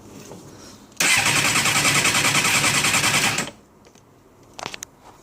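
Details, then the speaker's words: 2006 Suzuki GSXR 600 (K6) with FI codes C13, C14, C15, C21, C22, C23, C29, C31 and a low TPS reading; the starter spins the engine at an even, quick chug for about 2.5 seconds but it never catches; ECU suspected, not confirmed. "but yeah just have it listen again like i have no idea what this is and it just will not start"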